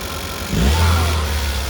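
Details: Second-gen Chevrolet Cruze after installing the GM Performance intake: engine idles evenly, then a clean blip lifts the pitch and settles back with a deeper intake roar; sounds healthy.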